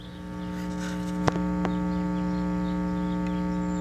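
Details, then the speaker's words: Circa-1968 Packard Bell stereo amplifier restored after two shorted transistors, silicon channel rebiased, minimum volume: steady low hum with several even buzz tones and almost no hiss; mains hum in the output. "can hear there's some hum there but very little hiss"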